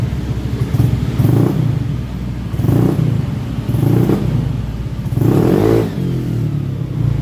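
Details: Honda Beat FI scooter on its center stand, with a complaint of hesitation up to 40 km/h. The engine revs and drops in uneven surges about every 1.5 seconds, stuttery and rough; the customer supplied a fuel pump filter and TPS sensor, not yet confirmed as the cause.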